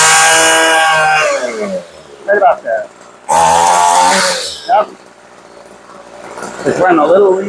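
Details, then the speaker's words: Homelite curved-shaft trimmer after H-screw carb adjustment giving more fuel: revs up crisply in short bursts and drops back smoothly to idle, no bogging or sputter; mixture now right. "so let's go up just a little we'll give it a little bit more Let it go down to idle and for cheap we do that sounds darn good"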